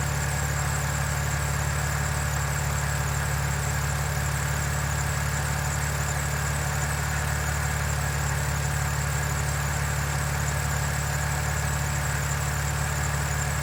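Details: BMW N52 idles smoothly with an even low hum and no lifter ticking from the top end, still quiet after 2,700 km. Normal idle.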